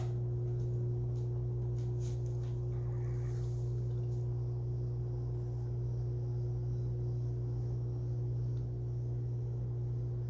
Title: 2021-01-22 HVAC outdoor unit making loud noise